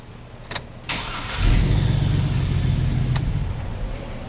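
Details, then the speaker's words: Customer's old vehicle at start: a couple of sharp clicks, then a harsh clatter as the starter drive kicks out once the engine catches. The fix would be a starter replacement hoping for a quieter unit; starter bendix disengagement noise. "Someone that has an old vehicle tends to not want to spend a lot of money, but he's complaining about this starter bendix noise."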